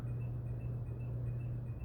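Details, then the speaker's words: Fan running: a steady motor hum with a faint high squeak repeating about eight times a second at the same spot each turn, going on for a couple of years; owner suspects something rubbing inside. "something rubbing inside man I've been putting up with this for a couple years"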